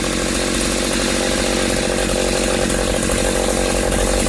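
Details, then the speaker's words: 1995 Ardisam Earthquake 8900 auger, two-stroke, after repair, cold start, fired first pull: high-pitched buzzing holds a steady, even speed with no stumbling, surging or misfires; running cleanly and healthy. Rebuilding the Tillotson carburetor advised rather than using knockoffs. "This Ardisam Earthquake-Auger is ready to rock. Another save from the landfill."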